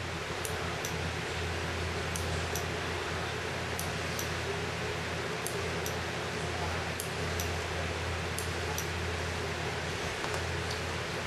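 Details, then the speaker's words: RBW DIY PO2 controller for a rebreather, running its 400-millisecond solenoid test in the options menu. Faint sharp ticks in pairs about 0.4 s apart over a steady fan hiss; normal oxygen solenoid clicking. "hopefully you can hear the tick of the solenoid as it comes in and out it's a four hundred millisecond test"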